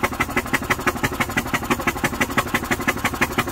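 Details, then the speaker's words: 1998 Yamaha golf cart engine after rollover, crankcase oil coming out of carb: fast, even chuffing while cranking, spark present, sputtering without catching and throwing oil out intake; oil-flooded engine cranking. "look at the throwing oil all over the place and I'm gonna have to go get a rag and clean that up oh we know one thing that upper cylinder is going to be lubricated"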